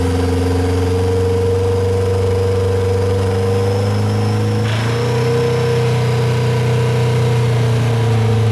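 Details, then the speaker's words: Nissan Sentra GA16 with the clutch pushed in to mute a transmission noise; revving brings a deep knock that tracks engine speed, coming in around 3,000 rpm, suspected bottom-end knock. "I'm pretty certain that is a knock coming from bottom enemy"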